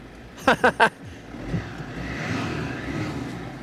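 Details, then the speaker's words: Van diesel jump-started with an OSRAM lithium 300 battery starter power bank, clutch pressed: three quick cranking bursts, then it catches and settles into a quiet, even idle; normal start. "she's up and running I'm really really happy with that that's given me a lot of confidence for traveling in the future and stuff"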